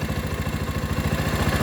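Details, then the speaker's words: Rouser 220 motorcycle that would not start; with the battery disconnected to test charging, idle struggles very low and labouring, slow thumping about nine beats per second, nearly stalling but not dying; idle being raised. "tunay pa ay tunay pa taasan pa bro naghihingalo Hindi naman siya namatay mga bro kaso naghihingalo"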